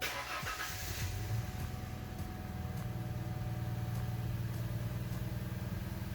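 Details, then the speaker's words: Ford Mustang V6 revved with a flashing check engine light and lack of power: the engine hesitates with an uneven, stumbling beat. Cylinder 1 misfire, confirmed by scanner, traced to a faulty ignition coil pack, which was replaced. "You can hear the engine hesitating a little as I rev it up."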